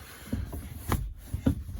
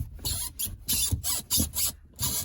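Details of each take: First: VAZ 2115 gear lever after lubricating the linkage joint and new bushing with WD-40: soft, dull knocks through first, second, fourth, fifth and reverse, with no squeak. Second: VAZ 2115 gear shift lever after a bushing replacement (previously rattled): dry rasping creaks with each movement, from friction in unlubricated shift parts; fix is removing the boot and lubricating.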